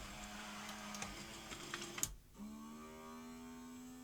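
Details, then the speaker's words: Sony SL-HF950 SuperBeta Betamax (MK1) after repair work: the cassette loader whirs, clunks, then its motor keeps humming without stopping; it apparently didn't detect the end position, possibly a dirty end switch, not confirmed. "Uh, right. So, it sounds like it didn't detect it come to the end position, which is presumably a switch in there when we had the motor out."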